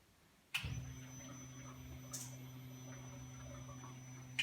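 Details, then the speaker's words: 1950 Willys Jeepster hot rod, fully assembled and wired, fuel pump switched on for a few seconds pumping into a jug: click, then steady low electric hum with no surging or rattle; normal fuel pump priming. "for this test it's just going to be a quick on and off for a few seconds when I can hear it kick on and then we'll see what ends up in The Jug"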